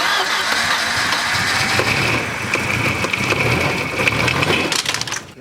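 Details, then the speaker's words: Volvo 760 Turbo four-cylinder (1989/1990 wagon) started after sitting 15+ years and fixing vacuum leaks: a high steady screech over cranking and catching, then flapping and slapping as the alternator belt shreds on start-up. "Okay. What happened? Oh, man. Almator belt shredding."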